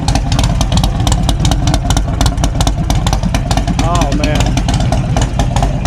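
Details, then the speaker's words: Cheap Harley-Davidson V-twin, just started after charging, having failed to start previously: loud loping idle with steady even pulses, no knocks or rattles; engine sounds healthy. "The bike in fact runs, and I'm not gonna lie, it sounds pretty damn good. I mean, you cannot beat that sound."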